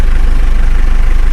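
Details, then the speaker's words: 2014 Mitsubishi Strada/Triton single cab, 2,500 cc turbo-intercooler diesel, 50,000 km, first owner, started after the yellow glow light went out: low, steady, smooth idle with even pulses and no knocks or misses, a healthy engine. "Masih halus banget suaranya tuh. Yuk, dengerin suaranya"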